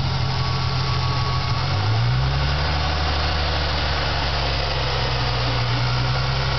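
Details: Ford Mustang V6 knocking between 1000 and 1500 rpm: a low idle hum rises slightly with faint tapping underneath; told it is just lifters, but the owner fears a rod-bearing knock, cause unconfirmed.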